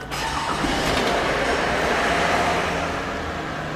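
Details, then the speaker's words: Toyota Aurion that had the oil light on and a rattle, started: engine catches and settles to a steady run, no knock or rattle, oil light out; possibly slight water pump noise. "Oil light gone. Horrible noise is gone. It sounds actually like it might have a bit of water pump noise there, but yeah."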